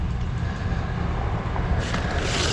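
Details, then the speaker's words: Make-up air unit blower motor running unloaded with the belt removed: heavy, steady low rumble with a rough, gritty edge; the big motor doesn't sound healthy, cause unclear. "I only got the belt off but listen to this motor it doesn't sound happy"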